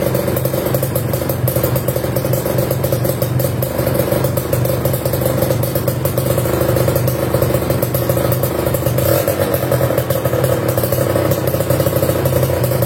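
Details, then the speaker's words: Kawasaki Ninja RR New two-stroke fitted with KDX racing exhaust: sharp, buzzy, crisp exhaust held at steady high revs for several seconds, no misses or knocks; healthy engine. "Oke sip, suaranya cakep banget ya tadi ya."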